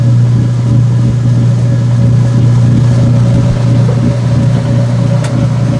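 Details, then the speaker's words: Washer neutral drain after a towel wash, sump bucket purging: steady low hum with an even whir, no grinding or rattle; normal drain pump sound. "There's your neutral drain sound."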